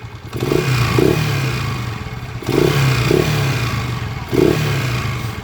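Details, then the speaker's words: TMX 155 pushrod motorcycle engine revved three times: rough, gravelly clatter over low rumble; mechanic suspects very noisy timing gear, still to check cam follower, pushrod, tappet screw and valves. Suspected rough clattering engine when revved. "pakinggan natin 'tong makina niya ayan ipapaduktor niya 'tong makina niya mga ka-bro dahil Maingay na yan oh. Revolasyon na natin. Ay nagaspangan."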